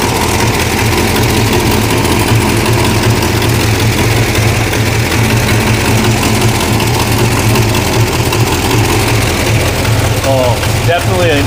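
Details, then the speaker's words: 1969 Barracuda V8 at idle after about three months unstarted: fast, sharp ticking puffs ride each firing. An exhaust manifold leak is blowing out the bottom between cylinders 1, 2, 3, 4 and 6. "exhaust leak okay yeah it's blowing out the bottom between uh cylinder 1 2 3 4 and six"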